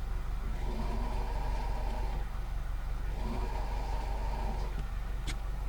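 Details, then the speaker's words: Idling 2001 Subaru Impreza WRX STi GDB, six-speed manual, Japanese import: a whirring whine comes in twice and fades, from a worn clutch throw-out bearing. "I'll show you they'll throw bearing noise listen to this"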